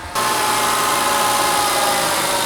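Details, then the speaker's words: BMW E39 with M52 engine on a Speeduino plug-and-play ECU, cold car warming up: steady, even idle with a faint high whine and no knocks or misses; rpm dropping normally as the engine warms. "The RPMs are dropping as they should when engine warms up."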